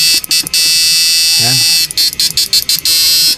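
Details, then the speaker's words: Susan 1020np digital no.1 amplifier on test during repair, with a wire spring added and drawing 47 amperes: a steady, harsh high-pitched buzz in long even stretches with brief breaks and no crackle or dropout; the amplifier works normally. "Testing natin, ito yung tunog nya. Ayan. Straight lang natin yung tunog."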